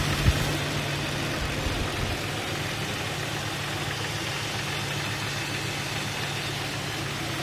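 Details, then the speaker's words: Jeep XJ Cherokee 4.0 L at 175,000 miles, intermittent knock since 125,000 miles mostly when cold, heard unamplified at idle: loose, hard-to-place tapping mid-block, could pass for piston slap but no double rap on throttle; engine knock. "The ambient noise is very hard to pinpoint, almost impossible to tell where the sound is emanating from. It seems like the middle of the engine block. This noise could be easily mistaken for a piston slap."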